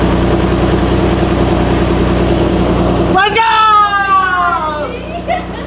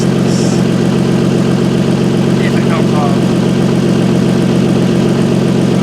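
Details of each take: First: Car on first start after a top-mount turbo kit install, charge pipe loose, not driven; steady, even idle with no ticking or puffing, then switched off and whines down; normal idle. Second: Car with top-mount turbo kit, idling: sharp, fast puffing tick on every exhaust pulse; exhaust leak felt and heard at the turbo downpipe V-band clamp.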